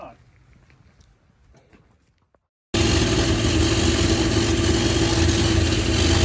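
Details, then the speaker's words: Holden VN Calais V8 build, idling for the first time while base settings and idle are set before the dyno: after a quiet moment bursts into a loud, steady, even idle, no knocks or misses. "It's such an awesome sound just to hear it idle for the first time."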